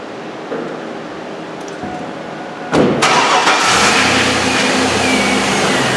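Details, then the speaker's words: GMC Yukon XL after a power steering pump replacement and variable assist delete, started to bleed air from the system: brief crank, catches around three seconds and settles into a steady, even idle with no steering pump whine. "All right, I'm just going to start it up and get the bubbles out of it. See how it works."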